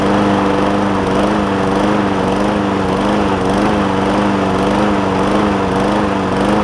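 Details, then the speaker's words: John Deere JA60 push mower with a replacement tank, new fuel line and cleaned carb, at raised throttle: the pitch wanders up and down in a steady rhythmic hunt. Lean surging persists with an air filter fitted; debris is suspected in a carb jet. "Tried it a couple times. I got some debris caught up in one of them jets on there."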